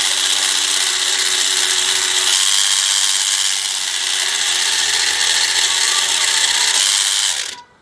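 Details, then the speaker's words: Scale-model giant robot drive with a 12 V bilge-pump motor on 12 V, graphite in the gear holes: steady high rasping whir with light ratcheting buzz until cut off; new gears feel tight, should loosen after running. "All right, just feel a little bit tight. It's okay. If I run it a little, it should loosen up the gears."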